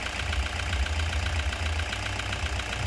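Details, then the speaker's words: Toyota Hiace 2KD diesel after repair, which fixed its power loss, shaking and hard starting with no DTCs; now starts easily and idles with even, steady clatter and normal diesel vibration, no misses or stumbles. "gim dia getarnya getar normal diesel guys Kalau semalam kan goeng-goeng mesinnya"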